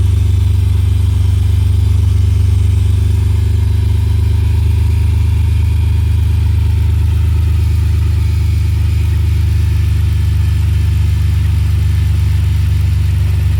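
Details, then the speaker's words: BMW E46 325xi that was knocking: steady idle with a faint, loose knock about three or four per second from the front accessories, not the engine or power steering; worn alternator pulley. "so when I first started it was gone most this sound s it's not coming from the motor it seems to be coming from this al man"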